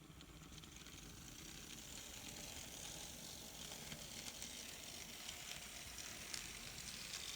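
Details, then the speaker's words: N scale Atlas SD35 locomotive after TLC, on track from an old power pack: faint steady high-pitched whir with light gear buzz; runs pretty well, still a little noisy but acceptable. "So it runs pretty good. Still a little noisy, but that's acceptable."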